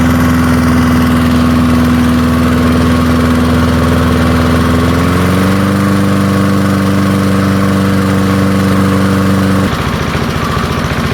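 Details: Early-1970s BF Goodrich push mower's small single-cylinder engine, a barn find that sat for years seized, revived after freeing up and fitting the carburetor diaphragm; runs steady and even, settling to a slightly higher speed midway before shutting off, healthy.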